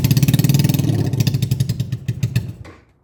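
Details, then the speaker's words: Honda Shadow motorcycle under restoration, carburetor float recently freed after fuel overflow, air intakes open with no air filter: fires and runs briefly with uneven chuffing, then dies within three seconds; owner suspects too much air or fuel, unconfirmed. "So, as you can see, it starts on its own very, very well, but then it dies right after, which is I don't know why."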